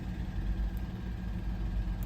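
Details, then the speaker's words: Audi A8 at idle: deep, slightly lumpy beat with faint stumbles, cylinder 5 misfiring and disabled per codes; owner suspects a dead coil pack, injector possible, raw fuel smell. "so cylinder 5 is our one with I'm assuming just a dead coil pack it's immediate um injector could be but I do smell bunch of raw fuel when the cylind when the injector is enabled"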